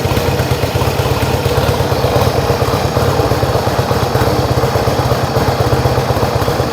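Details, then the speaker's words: Yamaha XS1B twin after carbs rebuilt three times, airbox refitted, dead cylinder tune and throttle screws wound evenly for about 1000 rpm idle: even, steady putter, both cylinders pulling evenly with no misses; normal healthy idle. "How does that sound? Sounds good to me. I'm going to leave it there. You can fiddle endlessly."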